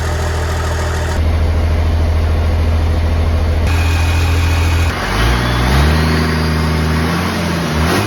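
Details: 1969 Dodge D200 Sweptline with a swapped 5.9 first-gen 12-valve Cummins (grid heater), cold start at 23°F in Missouri. Deep, steady diesel clatter at cold idle, then revs rising and falling smoothly, strong and healthy: normal diesel cold start and idle.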